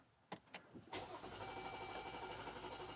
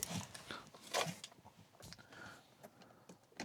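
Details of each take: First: 2021 Chrysler Pacifica with P0108 MAP sensor code, restarted after cleaning the IAT and MAP sensors and throttle body: long cranking with stumbles, then an uneven, hunting idle that nearly stalls; the MAP sensor was later replaced to fix it. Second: 2021 Chrysler Pacifica after replacing the MAP sensor (P0108 code, rough idle, limp mode): a short crank catches quickly and settles into a quiet, even idle with no stumbling; normal start, fewer warning lights.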